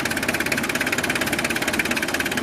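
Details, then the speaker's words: 1993 Mitsubishi Delica Starwagon Chamonix 4x4, 2.5 L turbo diesel, about 25 years old, just started and warming: even quick diesel clatter at steady idle, no uneven knocks or misses; runs healthy. "Like I said, the dual battery, gigantic 2.5 liter turbo diesel, Mitsubishi's finest. Sounds like a diesel, runs like a diesel."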